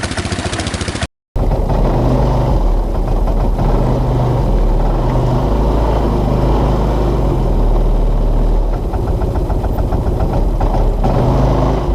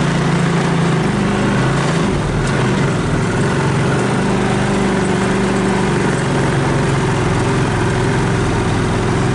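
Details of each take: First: 2014 Linhai Big Horn 400 UTV single-cylinder engine misfiring and stumbling once warm; CDI pulse generator (trigger) found to go open circuit when hot. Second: 2014 Linhai Big Horn 400 UTV, choke on, cold after carburetor refitted: steady even single-cylinder putter with no misses; later it misfires and dies when warm as the CDI pulse generator goes open circuit.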